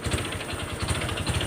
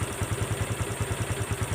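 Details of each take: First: Honda Wave 125 motorcycle, crank rod previously rebuilt once, before teardown: hard regular metallic knocking about ten a second through each throttle blip, plus a high whine; broken connecting rod big end, rod knock. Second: Honda Wave 125 after rebuild with genuine crankshaft/connecting rod, both bearings, clutch parts, valves and valve seals, original rings: even, quiet idle with soft pulses about three per second, no knocking; far quieter than before.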